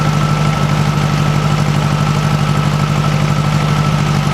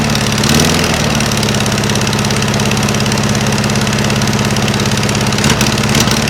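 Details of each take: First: 1956 VW Beetle air-cooled flat-four, cold, on a chilly day, after swapping bad Weber 34 ICT carbs for a stock Solex 34 PICT 3: even, quiet idle with a steady beat, no puffing or ticking from the exhaust; healthy, carb still needs some adjustment. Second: 1956 VW Beetle engine with a stock Solex 34 PICT 3 carburetor swapped in for Webers, idling on a chilly day: a quick puffing "papa papa" tick over a lumpy idle, an exhaust leak at the heat riser flanges, which have no bolts fitted. Not valves.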